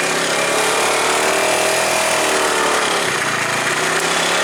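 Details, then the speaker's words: 2012 Tao Tao scooter after variator repair with a new pulley and roller weights, ridden: a loud, buzzy engine with a loose, tinny rattle from the muffler. Owner suspects the heat shield. "Kind of rattling coming from the muffler. I think it's that heat shield."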